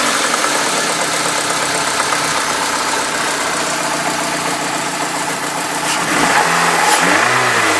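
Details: Peugeot 306 S16 petrol engine running with a fast, fairly steady tapping about four per second over the hum, rising briefly when revved; engine noise, source unclear.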